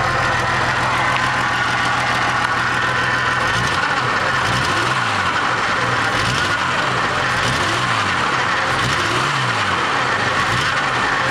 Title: Jeep '87 XJ sputtering possible misfire